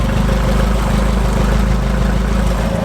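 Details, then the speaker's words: Toyota AE86 after engine and transmission reinstall: smooth, even idle with a steady low thrum, no knock, ticks or misses; running healthy. "motor runs really cool huh that's really know that we know yeah for 350 dollars 50 there's no complaints"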